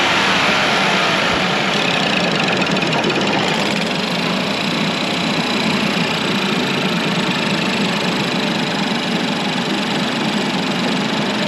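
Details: 2015 Ford Focus 1.0L 3-cyl EcoBoost, warmed to full temperature after turbo rebuild and coolant flush (washer-fluid-like contamination): revs rise and settle smoothly with a steady busy note, no turbo whistle or whine; engine shakes, may need motor mount.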